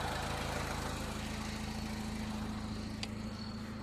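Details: 2000 Honda Civic 1.6L SOHC after replacing the whole distributor (old cap cracked, moisture inside), passing water test: even, settled idle with smooth low drone, no misses or stumbles; fixed.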